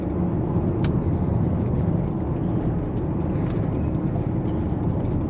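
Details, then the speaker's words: 2020 Chevy Blazer on a road test after front strut replacement (ball joint had failed at 30,000 miles): steady road and tyre rumble at speed, no front-end clunks, only a possible slight backing-plate rub on rotor; suspension sounds quiet. "it sounds so much better couple nice big bumps there is that tires or is that the backing plate it's hard to [Music] tell it sounds good sounds brand new again"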